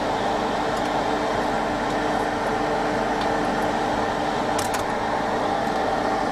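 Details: Workbench station running during repair of a Hacker Sovereign RP18 radio: constant airy whir with a faint steady hum. The station's cooling fan is noisy; a replacement fan is on hand but not yet fitted.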